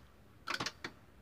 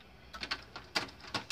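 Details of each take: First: Philips FW-M570 stereo: the red LED lights, and it tries to power on but keeps shutting off, with a few quick, sharp relay clicks as it drops out. The transistor was ruled out; a weak 5 V standby supply is the cause. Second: Philips FW-M570 stereo after the standby fix (10-ohm resistor fed to the 5 V line at the zener diode): it powers on first try with soft clicks and quick whirs as the drawer and laser settle and the CD spins up. Reads normally.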